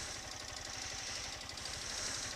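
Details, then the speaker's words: 2018 Honda CG 160, about 13,000 km, warm engine idling: fast even light ticking over exhaust beat, worse when very hot; annoying old-bike noise present since new, suspected valve train, unconfirmed. "alve rapaziada vocês podem perceber aí o barulho da moto ó tá um barulho bem chato mesmo cara parecendo moto velha né ó o barulho ai parecendo moto varetada"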